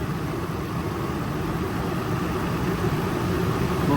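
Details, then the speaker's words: Even idle climbing as individual cylinders are cut and restored via scan tool on a Nissan truck with coil-on-plug ignition, diagnosing P0300 random misfire after spark plug replacement; idle rise shows each cylinder firing properly. "I'm going to do two okay you here the idle goes up okay Escape so that means that they they working fine"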